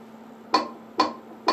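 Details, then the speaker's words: Wurlitzer 200A electric piano, note 59: three dull key thumps about half a second apart with only a low hum behind and no tone, because the reed is missing. "That one's dead, because it's missing."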